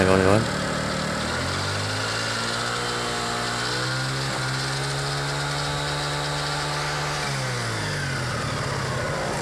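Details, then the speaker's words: Carbureted Yamaha Mio Soul, after repair of a faint whine and friction noise from the final drive (gardan) and reassembly of the cover. The engine revs and settles smoothly with no grinding or whine; the friction sound is gone. "suara seperti gesekan tadi sudah hilang"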